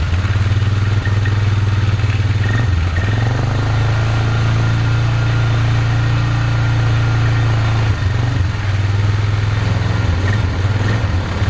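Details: Polaris Magnum 325 single-cylinder ATV, carb soaked, idling with a low thump but stumbling and dipping around three and eight seconds; lean fuel starvation and backfiring from unfiltered air bypassing the loose, open airbox, not the carb or fuel pump.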